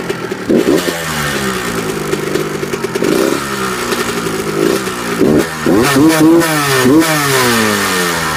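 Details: 1998 Kawasaki KX125 two-stroke: a slight ticking and rattling when started and when revved, rising and falling with each throttle blip. Cause unknown.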